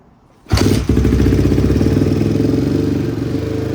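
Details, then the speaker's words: Barn-find Honda CRF single, low on fuel and unrun for a week, after a carb rebuild, valve adjustment, new chain and sprocket and fresh OEM plug: it fires right up to a steady, even thumping idle with no misses or smoke. Normal start and idle. "Nice. Sounds good. No smoke. Sounds good. No smoke. Smells good."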